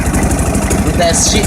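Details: 150cc 157QMJ scooter engine after a rebuild with new crankshaft bearings: a short burst of steady, evenly spaced idle pulses with no knock over the beat, so it runs cleanly and sounds healthy.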